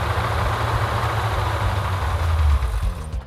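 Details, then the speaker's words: Freshly built Mopar engine warming to operating temperature: deep steady idle, lifter/pushrod ticking now barely noticeable, running better. "so everything really for the most part now is starting to dial back in I don't know if it was a lifter or put your outer combination of both of them that we're making all the noise that has quieted down quite a bit definitely is running better"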